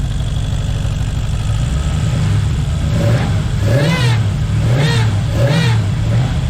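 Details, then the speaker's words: Square-body Skyline with a freshly built V8, warming up at idle. A rising and falling whine comes and goes in short swoops, attributed to the bypass funneling out; junk from the first start may remain. Intermittent whine, cause unconfirmed. "The bypass thing funnels out, so it gets randomly noisy."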